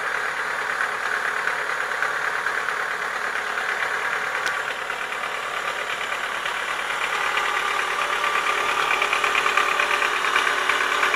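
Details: Chevrolet Lacetti 1.6 petrol engine idling with fast, fairly even knocking, about three taps a second: worn piston knock, cured by boring the block and replacing the piston group.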